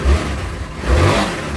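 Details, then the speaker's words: Tao Motor VIP 150cc GY6 four-stroke scooter, after carburetor removal and reinstall: small four-stroke rises cleanly in two quick revs and settles back with no stumble or popping; good throttle response. "Fires right up. Fires right up. There is throttle"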